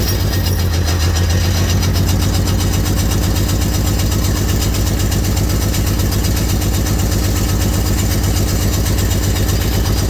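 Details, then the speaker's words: $300 auction car from an Oklahoma lot, with a newer valve cover and apparently original coils, idles rough with an uneven, lumpy low rumble pulsing about four times a second; owner suspects an exhaust issue, cause unconfirmed. "Got it for 300, so I mean. Sounds a little rough."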